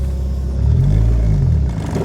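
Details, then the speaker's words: Nissan 300ZX junkyard build with S13 front suspension conversion, turning the steering to full lock: a low, drawn-out moan that swells and fades as the wheel comes back off lock. Every nut and bolt checked tight and lubricated; owner suspects the steering rack is going out. "Ah, still making the sound. Not a good sound. I honestly think that the rack is going out. Oof. Did you hear that moan going back the other way?"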